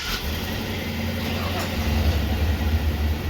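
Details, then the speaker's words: Cat-eye Ford truck at idle with stock dual exhaust: low, soft, even rumble with little bark, engine smooth but exhaust very muted, called pathetic before cutting it off for a new exhaust. "but you know what we could do we're gonna we're gonna do a new exhaust because this is pathetic"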